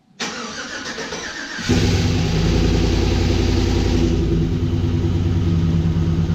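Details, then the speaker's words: Aluminum-block 5.3 L LS V8 swapped into a 1936 GMC truck that hadn't run in about 60 years, first start on jack stands: a brief crank, then it catches at once and settles into a smooth, steady, even idle. Normal start, header slightly smoking. "Well, she started right up. I don't see anything too catastrophic yet."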